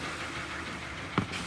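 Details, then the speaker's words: Hyundai Sonata G4KD 2.0 petrol, 175,000 km, knocking from under the hood after winter: dull metallic knock from scored cylinder walls letting the pistons rattle. "Как вы все прекрасно слышите стучит стучит задиры естественно по цилиндрам пошли поршня брякают от этого стук"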